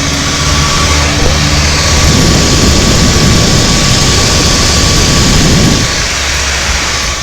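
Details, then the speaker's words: Harley-Davidson Dyna Low Rider S (FXDLS) with Ultra Cool oil cooling system installed about a year, added to stop shutdowns after 30-minute rides; ignition on, engine off, bike hot from traffic, close-up: steady airy whoosh, oil cooler fans working normally. "There's a quick close up audio on the fans. So that right there shows you that it's fucking working, guys."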